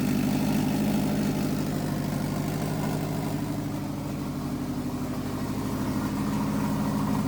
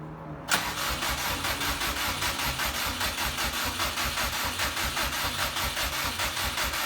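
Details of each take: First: 2006 Subaru 2.5i with swapped-in JDM WRX engine and 6-speed, ACT clutch and new pilot bearing, first start after fuel feed line was found reversed: engine catches and settles into a steady, even idle with a low rhythmic burble, no knocks or misses; normal idle. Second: 2006 Subaru with swapped JDM WRX engine and 6-speed, first start attempt after install, fuel primed, weak battery: steady rhythmic starter cranking that never catches; fuel smelled, owner suspects spark issue.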